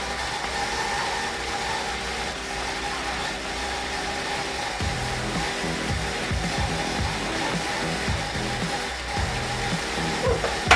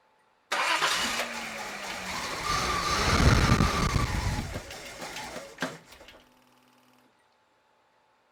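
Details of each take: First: Datsun petrol engine idling after a cracked intake air hose before the throttle body was repaired: mostly steady with a faint stumble, nearly dying but staying running, much better than before when it would not stay started. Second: Datsun turbo petrol engine with cracked, taped intake hoses and vacuum leaks, before hose repair: catches, runs unevenly for a few seconds and stalls, won't stay started.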